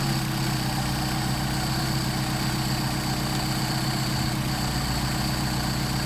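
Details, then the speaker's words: Mercedes 190SL, rebuilt Solex 44PHH carburetors, 700 rpm idle with throttles synchronized so linkage connection causes no idle change: smooth, even idle, steady low rumble, no hunting; carburetors balanced and running well. "Which is just fine. It's a nice idle."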